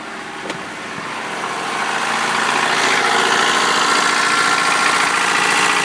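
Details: 1993 Honda Prelude with H23A1 engine running with a steady quick ticking knock, about three or four a second, over the idle; owner asks what's wrong, source unknown.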